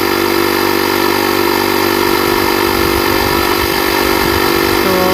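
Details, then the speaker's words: JF.EGWO 2000A lithium jump starter's built-in compressor inflating a tire from 25 to 32 psi at about 5 psi a minute: loud, fast, even rattling buzz with no stumbles or knocks. Running normally. "It's about 5 pounds a minute. That's not bad. That's really fast for a small compressor."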